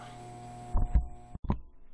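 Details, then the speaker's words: 1992 Data East Hook pinball machine after a power board replacement: a low, steady 60 Hz mains buzz with a rough edge through the speaker from the sound board, later mostly cured by feeding it from a PC power supply. "what's more for old times sake you can hear that buzz quite a bit let's see what we can do about it"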